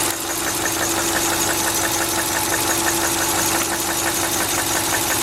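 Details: 2000 Subaru Outback Limited at idle: sharp metallic knock about three per second, evenly spaced over engine hum; began only when cold about 12,000 km ago, now constant, unchanged over 5,000 km; owner suspects rod knock or piston slap.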